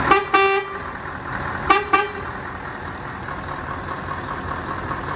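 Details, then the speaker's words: Standard two-tone horn: two short double toots, thin and fairly quiet over street background; works normally but not nearly loud enough. "So that was the standard horn that we've got on it. Yeah. And that's not loud enough."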